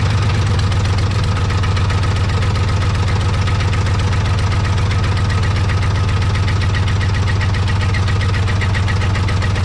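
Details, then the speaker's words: Tow truck starting and idling: a loud, fast, even clatter of about four beats a second from the moment it fires; owner first feared engine bottom end, now suspects a flywheel or torque converter issue. "Got the key in the ignition, so let's see if she starts, and then you can hear how bad it rattles."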